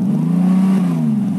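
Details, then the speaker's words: 2002 TVR T350C with rebuilt 4.3L engine, warm, blipped while stationary: deep even note rising and falling cleanly without misses or knocks; oil temperature and pressure good; sounds healthy. "give you a bit of a rev so you can hear how it sounds sounds pretty good"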